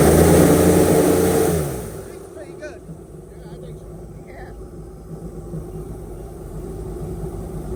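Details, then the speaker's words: Airboat carburetor being tuned with a vacuum gauge after the idle mixture was adjusted. A short, strong rev drops cleanly back to a steady idle with no flat spot or stumble, so the throttle transition is smooth. "I'm start it up and give it a little bit of guas and just see how the transition is between idle see if it very smooth all you're trying to feel for is if there's a flat spot between idle and"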